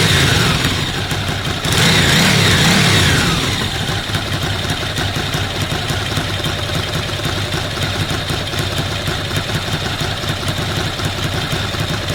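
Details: Ducati Monster V-twin after a cam belt change: quick rev, then a loping idle with a steady light rattle of about four ticks a second; normal dry clutch noise, not a fault.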